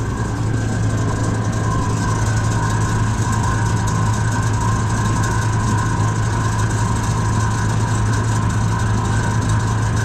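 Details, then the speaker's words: USI combo vending machine model 3155, after replacing the compressor's start capacitor: steady low hum near 120 Hz with faint higher tones and no start-up struggle; the compressor now runs normally, vibrating, and the air is getting cold. "now we waiting to see if the inside and the evaporator in here get cold I don't hear it making that noise attempting to start anymore"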